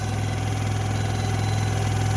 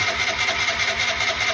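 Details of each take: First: Piaggio ET4 scooter single-cylinder, long unused, on jump pack, catches on third attempt and settles into steady even idle with no knocks or misses. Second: Piaggio ET4 scooter unused for years, weak battery with jump pack: high whirring starter pulses evenly about five times a second, engine never catches; crank no start, cause unconfirmed.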